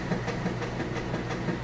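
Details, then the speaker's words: Roper (Whirlpool) top-load washer on normal cycle, filled with heavy jeans and towels: steady motor hum under quick, even swishing pulses, no grinding or clunks; normal agitation. "okay and we filled up now it's going strong the agitation you can hear it agitated"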